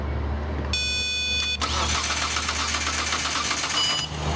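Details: 2001 Hyundai Santa Fe crank no-start: after a chime, fast high whirring crank about two seconds without catching; no power at ECU fuses, failed ECU relay.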